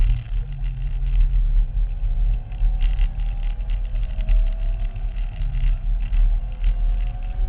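Engine holds a rough, uneven rumble with faint tones drifting upward and an irregular pulsing beat; something's off, cause unclear.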